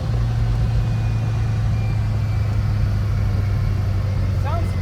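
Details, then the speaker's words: 1957 VW Oval ragtop flat-four after swapping Weber 44 carbs for 40s, while driving: an even, steady low drone with a constant note and no popping, stumbling or misfire. Running clean. "Sounds good. Sounds really, really good."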